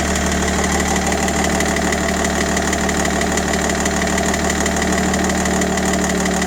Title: 530d e60 M57n knocking noise solution?